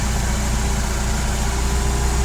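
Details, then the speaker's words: Toyota 6FGL15 petrol forklift (1.5 t capacity, 3 m lift), four-cylinder carburetted engine, hood open: quiet, steady low hum with an even beat, no knocks or misses, picks up revs and holds them well. Normal idle. "очень тихо спокойно работает ровно"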